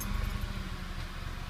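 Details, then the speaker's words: Petrol car previously throwing misfire codes P0300-P0302 with shaking and varying rpm, after spark plug work: low steady idle with no rpm variation or misfiring. "y vemos que el auto ya no tiene esa variación en las revoluciones, ni se escucha que está fallando."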